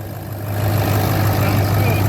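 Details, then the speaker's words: 2004 Ford F350 6.0 diesel, first start after replacing worn seals, O-rings and standpipe: even steady low rumble, no knocks, misses or hunting; running amazing, better than ever. "Woo! Woo! He's running amazing. Better than ever. Love it."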